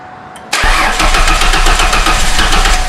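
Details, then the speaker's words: 2004 Ford Mustang first start after fuel pump replacement and refuelling, temporary mismatched battery; silence then engine catches almost at once and holds a steady, slightly uneven idle: normal start, fuelling properly. "Oh, come on, baby. Come on. Come on, baby. There you go. Yeah, buddy. It's alive. Yes, sir. It runs."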